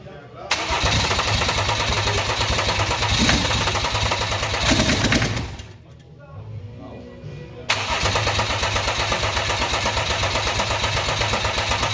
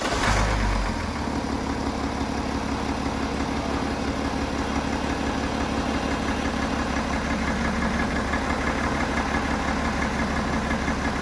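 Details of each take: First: BMW F11 535xd twin-turbo diesel, after catastrophic engine failure and machine-shop rebuild: starter catches quickly, engine fires and settles to an even, steady idle, then restarts just as cleanly; normal, healthy start. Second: BMW F11 535xd twin-turbo six-cylinder diesel, failed engine: a steady idle with a dull repeating knock about three times a second; owner says the knocking comes from cylinder number three, a rod bearing knock.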